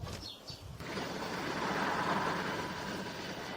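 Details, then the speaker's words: LG Direct Drive washing machine WD1239NDK, 5 kg, drum turned by hand: dry, rough hum with faint whine like a car wheel-hub bearing, plus about 1 mm play; worn drum bearings, to be replaced. "o rotim in în orice direcție se aude un zgomot, acest lucru indică faptul că rulmentul s-a uzat și a apărut un zgomot este aproape ca într-un rulment de butuc de mașină când face un bâzâit în"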